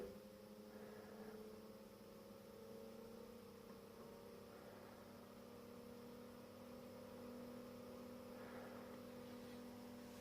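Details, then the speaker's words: Industrial AC fan run from a variac, voltage raised in 50 V steps past US mains but below its 220 V lowest rated voltage. Even, quiet hum with constant tone and soft air rush, no rubbing or rattling: normal running. "now the fan is a bit more louder but you know still nothing in comparison to the first video I did on the testing of those two industrial fans that I had you know the silver color hmm now the airflow is really wonderful but it's still you know a nice quiet fan"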